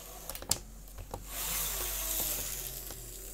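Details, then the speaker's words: Lima Class 55 Deltic model locomotive after cleaning and oiling the motor, with no stay-alive fitted. After handling clicks, a soft, even motor whir with no grinding or catching; running smoothly. "Should be a day and night difference once it's worked its way around. Sounds smooth already."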